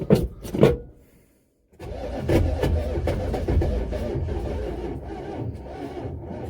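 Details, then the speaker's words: Buick Electra 5.7 L diesel, cold start after a year sitting; a few kicks, then labored cranking at about two turns a second that fades and drags as the battery goes flat; owner hopes more power will hold the starter solenoid engaged. "no battery's dead so i'm gonna go get a bigger battery or i'm gonna go get my truck plugged into this and hopefully the extra juice will help hold that solenoid outward against the flywheel"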